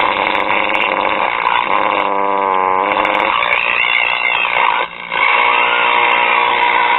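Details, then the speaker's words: 1930s Belmont 110 VDC tube radio chassis after replacing a leaky capacitor and swapping a 70k-reading 50k resistor for 47k: a steady crackling, hissy buzz with warbling tones. Interference persists, source unknown; tubes to be pulled one by one. "okay what I'm going to do now is pull each key by out and see if I can determine where the interference is coming from"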